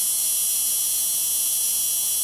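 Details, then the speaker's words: 12 V battery-driven high-voltage supply charging a capacitor (at 132 V and climbing, neon bulb lit past 120 V) in a radiant energy replica circuit: steady thin high-pitched whine with no breaks or crackle, normal charging hum. "jumped up I hear the circuit is running it's humming that's coming from the 12 volt battery and the high voltage splice is charging that capacitor up so right now it's at 132 and climbing and it's gonna keep doing so"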